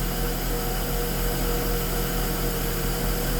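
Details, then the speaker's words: Mercedes S280 with Airmatic air suspension, warning shown on dash: steady electric hum with an even low drone, the compressor runs but the suspension won't rise; cause suspected, not confirmed. "tapi kalau kita dengar kompresornya hidup kompresornya nyala Hai tapi di ini enggak mau naik Hai ini enggak mau naik"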